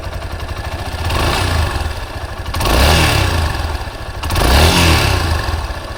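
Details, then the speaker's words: Yamaha Serow 250 (DG17J) air-cooled single at nearly 100,000 km, idle before engine overhaul: metallic exhaust ringing, likely a loose exhaust-pipe bolt, plus a dull thump every few seconds, likely bearing wear; both gone after overhaul. "The high-pitched, ringing noise and the periodic, muffled noise that occurs every few seconds have completely disappeared. The high-pitched noise was most likely caused by a loose bolt in the exhaust pipe . The periodic, muffled noise is likely caused by bearing deterioration."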